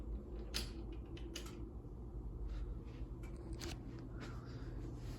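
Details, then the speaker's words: Hotel ceiling fan, likely a Hampton Bay of 48 or 52 in, at speed two (medium-high); a low steady hum with irregular crackles and rattles about every half second; the blades are loose and the set screws and down-rod coupler were never tightened. "Here's speed two or medium high. You can hear the blades crackling and stuff cuz they're not tight."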